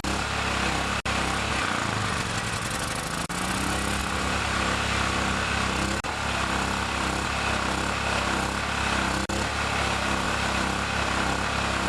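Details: Chinese Honda-clone generator started after many months in storage, choke used if it surges: single-cylinder engine settles after a brief speed wobble into a steady, even buzz; running fine.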